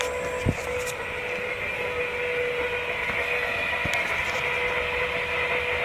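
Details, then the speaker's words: 1996 Ford F350 7.3 Powerstroke diesel after electronic fuel conversion with frame-mounted pump: a steady electric hum with an even higher whine holds constant pitch as the lift pump primes, with fuel flowing through the pressure regulator; healthy. "I'm going to test pressurize the fuel system now you hear fuel going through the field pressure regulator"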